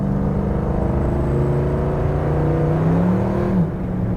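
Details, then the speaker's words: 1972 Ford Maverick automatic under hard acceleration on country road: engine note flares and sags before sliding late into third, slipping 2-3 upshift; owner suspects the disconnected shift linkage, unconfirmed. "I don't know if you heard that or not, but it slid into third gear. I don't know if that's because I don't have the shift linkage hooked up."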